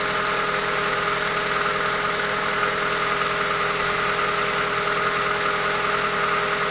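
Steady idle with a fast, light, irregular tapping over a high mechanical whir, roughly two or three knocks a second; source not pinned down.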